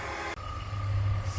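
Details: BMW E46 petrol engine idling with a steady low rumble and no obvious whine after the A/C compressor is checked; the whine is suspected to come from the A/C compressor.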